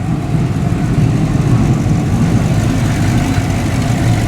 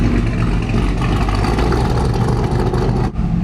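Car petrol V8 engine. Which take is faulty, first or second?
second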